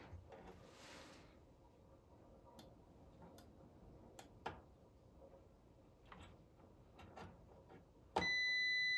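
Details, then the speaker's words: Supersonic pinball lamp driver board, continuity test of transistor Q50 (bonus 8K lamp): quiet probe clicks then a steady high beep on Q50 alone, indicating it is shorted and needs replacing. "Okay. Did you hear that beep? Q50 is beeping. No other one is beeping. So Q50 is definitely bad."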